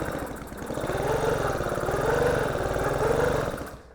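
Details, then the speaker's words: Vintage Huffy bicycle with a two-stroke engine, unknown history, spark plug removed, pedalled over with the clutch out: light even chuffing and clatter, spinning freely with no binding. It had locked with the plug in, so the owner judges compression good. "And yeah, that engine rotates just fine. So, I would say we have good compression, and if we have spark and fuel, this engine I think will run."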